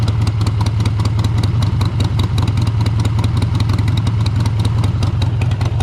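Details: 2001 Harley-Davidson Sportster 883 Evo with CV carburetor, idle stop screw just reset during tuning for hesitation and stumbles: deep, loping V-twin idle with steady low thumps, no stumble or misfire; healthy normal idle, smells slightly rich.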